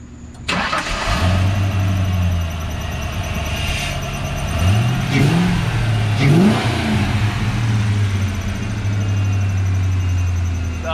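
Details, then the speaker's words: 1995 Saleen Mustang V8 after a snapped rocker bolt was extracted and replaced: fires straight up and settles into a steady, even idle with clean blips and no rocker noise. Normal start-up. "sounds like it's running so not quang he's not playing it's not throwing a rocker all around"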